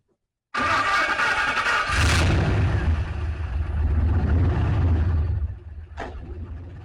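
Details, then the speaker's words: Turbocharged 5.3L LC9 LS V8 in a shop truck after major engine failure, suspected piston damage in cylinder 7: fires right up then settles into a lumpy idle with a recurring stumble; one damaged cylinder skipping. "You can definitely hear it now. It's skipping on 1. But I mean, fires right up and it runs down."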